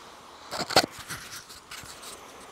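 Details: Engine block heater pulled out and powered in a cup of water (no coolant): faint irregular crackling and fizzing after a couple of handling knocks; element is heating, water turned lukewarm quickly.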